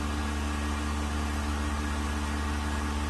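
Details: Vacuum pump on a 1600-litre mixer during a vacuum test with an empty chamber, gauge vacuum about 0.09 and rising slowly; steady even low drone with constant hum, no knocks, surges or rattles, pump working stably with very low noise.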